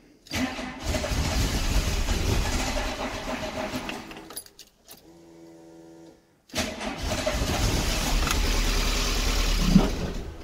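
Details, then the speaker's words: 1990 VW Golf MK2 GTI, long-stored non-starter, after fuel pump repair and priming: cranks, catches, stumbles and dies, restarts and runs unevenly with lumpy hunting idle as if fuel-starved; low petrol suspected. "Yay! Yay, sort of. Oh, you bugger. I think it is low on petrol as well."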